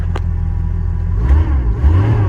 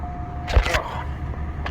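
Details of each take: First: Bronco cold start at about -12° (car reads -6°), with a bad starter solenoid: revs rise and sag in slow uneven surges, and the cold engine won't hold idle. Owner suspects the choke needs more adjustment. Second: 05 DeVille cold start at about -12° (car reads -6°): a brief crank, then it fires right up and settles into a steady low idle. A clean, healthy cold start with no starting problems.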